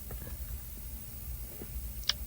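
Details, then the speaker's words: 1966 Ford Mustang original ignition switch, removed, no power on start position during continuity test: light, irregular clicks and a sharper tick as it is moved, loose internals rattling; worn switch part of the problem. "So that switch is definitely part of our problem. It is loose, by the way. You can hear it."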